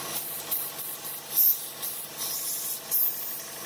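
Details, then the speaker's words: 2011 Chevy Cruze 1.4L turbo idling with codes P0171, O2 and MAP sensor: a steady airy hiss from a torn PCV vacuum diaphragm in the valve cover; it runs rougher when opened, and the fix is valve cover replacement. Finding: vacuum leak hiss. "I'm going to show you where the vacuum leak is and I'm gonna show you how to fix it alright I got my engine running I don't know if you could hear the hissing"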